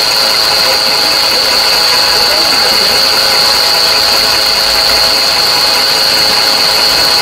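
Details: VW Polo 4 engine at idle with an abnormal noise whose source is unknown. A steady, thin high-pitched whine holds one pitch over the quiet idle.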